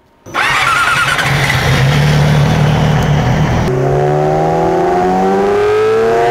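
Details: Yamaha R6 RJ11 after a cylinder-head repair with all valves new, warmed up before a dyno run: catches at once, runs crisp and even, then revs cleanly with no ticking, nothing like before; healthy engine, later 110.41 hp at the rear wheel.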